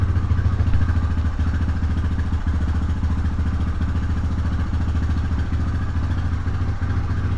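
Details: 1999 Honda FourTrax Rancher TRX300FW 4x4, warmed up with idle raised, running with the rear end in gear; steady single-cylinder thump about 3.5 beats a second with a faint knock; rear drive gone after lockup and grinding, axle splines ruined.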